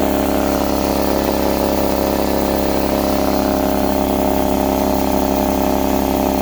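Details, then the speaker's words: Husky C303H air compressor after repair for not building pressure (valve plate or piston ring suspected), steady motor drone with even pumping chug, running hot; builds pressure, working normally. "yes we got pressure this time we want to listen for any leaks get your ear next to it wow this is hot seems like it's working well"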